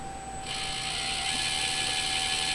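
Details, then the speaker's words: Axial SCX24 V2 bench test, Horizon Hobby ESC with V2 transmitter: soft even high-pitched buzz as the motor spins up at light throttle, no whine on engagement, only diff gears audible; much quieter than the V1 ESC, normal. "like that's much much quieter compared to the C10 to the first ESC which I believe is the um a a E6 ESC and this one has no marking on it really it just has Horizon Hobby on it"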